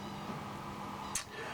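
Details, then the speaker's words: CNC machine hydraulic pump that unclamps the tool holders and rotary table, an eccentric-driven piston pump switched by a pressure switch: a steady low hum and faint higher drone, a normal noisy growl. "there's um a bearing on an eccentric that rotate orbits and as it does so it pushes on uh a piston and and two little blocks down here that just pump up the pressure so you can hear it make quite a a noisy growl when it"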